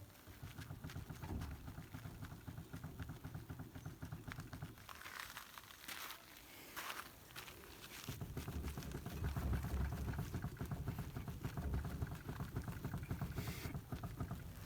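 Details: Renault Kangoo 2 front wheel rocked by hand to check steering: quick dull clunks, about three or four a second, from worn tie rods and tie rod ends knocking.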